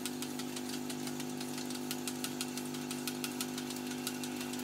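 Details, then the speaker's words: Vintage reel-to-reel tape recorder at full volume: steady low hum with faint transport ticking and no audio from the tape; smoothing capacitors presumed poor, either no recording on tape or machine faults. "Obviously the smoothing capacitors aren't going to be in great condition, and that is full volume. No, we've either got no audio on this tape, we've got too much wrong with the machine at the moment."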